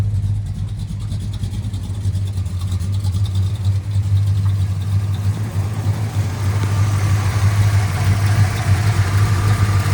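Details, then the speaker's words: 1969 Dodge Charger R/T V8, original owner, stock manifolds, parked 1982 at about 70,000 miles and restored with faults corrected, mild roller cam thought to be 508 lift; deep steady idle with gentle lope, even firing, no knocks or ticks. "Runs really well now. Cam is pretty mild for a roller."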